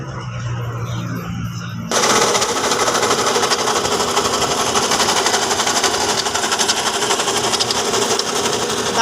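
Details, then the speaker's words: Toyota Fortuner at idle with the belt still on, noise at the front of the engine bay: a loud, rough rattling grind at about four beats a second. Spinning each pulley with the belt off traced it to a worn alternator bearing. "เครื่องครับเสียงดังชัดเจนน่ากลัวเลยนะครับ"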